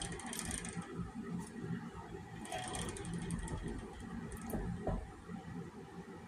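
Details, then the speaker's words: Axis 200M mini bike transmission after a fall, turned slowly by hand with a flat tire: uneven gritty ratcheting grind that tightens until it won't move; gearbox grinding and binding. "It gets to a point, and it gets to a point you can't move it."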